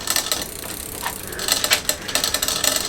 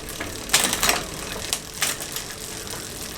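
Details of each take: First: Bicycle drivetrain after loosening a tight chain link: light metallic clicks and rattles in bursts as the cranks turn over the freewheel buzz. The drivetrain rattles and needs adjustment. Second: Bicycle after loosening a tight chain link: steady fine ratcheting freewheel buzz with crisp clicks as gears shift; drivetrain changes cleanly, no grinding or skipping.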